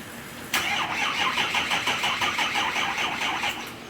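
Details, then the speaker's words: 6.0 Powerstroke diesel after replacing No. 8 injector and removing/refitting the oil rail; starter cranks in steady pulses, about three per second, without firing while the high-pressure oil system refills; needed several crank-and-charge cycles before starting. "yeah so it took several tries of cranking the engine to actually refill the or high pressure oil system after removing the oil rail and feeling director and everything so yeah I had to charge a and crank it in charging and crank it and finally started up"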